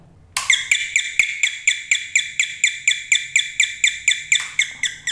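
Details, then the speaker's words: Home doorbell after repair, having failed from a bad capacitor and a broken solder joint that was resoldered: bright electronic chime repeating cleanly about twice a second, each note even; doorbell working properly. "तो दोस्तों आप देख सकते हैं की जो हमारी कोशिश है यह जबरदस्त रही और यह जो बैल है यह इसके कैपेसिटर की वजह से खराब हो गई थी और एक यहां से टांका टूटा हुआ था"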